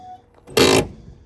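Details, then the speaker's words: Door on a 1962 Dodge Lancer with a poorly working hold-open check, before lubrication: a quiet pause, then a sharp quarter-second creaking squeal as the door swings; dry, squeaky door hinge. "This door was annoying me. Hear the squeak."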